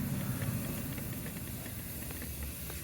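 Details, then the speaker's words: Cheap used car cooling system pressure tested at 1.3 bar: steady rhythmless hiss over a low engine-bay rumble as coolant escapes through a pinhole in the radiator. "okay so that is at uh at 1.3 bar and you could probably hear the hissing and if you look down here it's like the radio with a pinhole in it"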